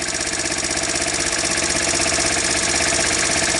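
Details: Sunl 110ST Chinese ATV small single-cylinder engine, revived after seizing and cylinder hone: brisk, even putter at steady idle with no knocking or stumbling; running healthy.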